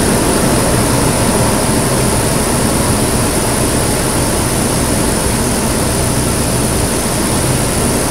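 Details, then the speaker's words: 2008 Nissan Pathfinder V8 first start after installing a Volant Powercore cold-air intake with AEM Filter Minder, in park: deep steady roar with a strong rush of air sucked past the throttle body, no knocks or misses; normal intake noise. "you can totally hear the air sucking by the throttle body if you pop it open there's a whole cool"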